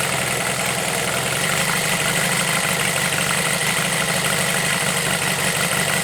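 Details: Homemade four-cylinder CD125four engine built from a Monkey, start test indoors before frame mounting, head gaskets sealed against blow-by; even, busy idle holds steady with no misses, knocks or surging. Normal idle.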